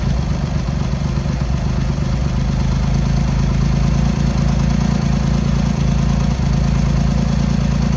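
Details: Triumph X75 Hurricane with freshly rebuilt carbs, cold on half choke at throttle-stop idle: lumpy, uneven idle with irregular beat about four per second; pilot screws thought set 7/8 out, carbs suspected to need tuning.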